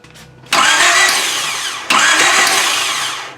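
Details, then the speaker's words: 1995 Honda Civic EG cranking after starter work: two long bursts of steady starter whir, the engine spins over but never fires; cranks, no start, igniter suspected. ">> It's spinning over. It tried to start. It's >> the same problem though. >> It don't it take it a while for it to spin the crank."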